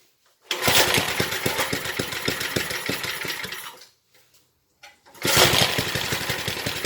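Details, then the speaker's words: 1970s Briggs and Stratton single-cylinder rotavator engine, revived after about 3-4 years unused: pops over quickly, runs crisp and even at full throttle, cuts out, then restarts cleanly; healthy running. "What a beast! There we go, running and working, sort of. 1970s thing, God knows how long it's been not used for."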